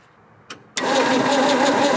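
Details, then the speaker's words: 1967 Ford Bronco parked in woods for 26 years: after a click the starter cranks at a steady, even rhythm with starting fluid added but never fires. No spark is concluded; distributor points suspected. "all right i'm gonna go ahead and say that there's no sparks"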